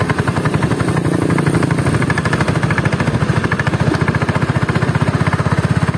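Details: Honda Beat carburetor scooter, CVT parts under two months old in standard use: steady low-speed chatter with a coarse, fast rattle over the engine; very rough CVT noise at low rpm, CVT block disassembled.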